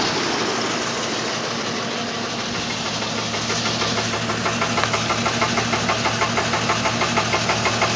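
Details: Jeep idling with an uneven, stumbling beat, about three pulses a second over a harsh exhaust note; obvious misfire, owner suspects a worn compression ring, unconfirmed.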